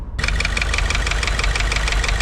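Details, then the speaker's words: 2016 Subaru WRX, FA20 engine, new short block still in break-in, idling a few minutes after 6–7 miles of town driving, possibly not fully warmed up: a quick, steady light ticking keeps time with cam speed over the idle. Valvetrain tick of unconfirmed cause. "It's my first time hearing that in a Subaru that I have owned."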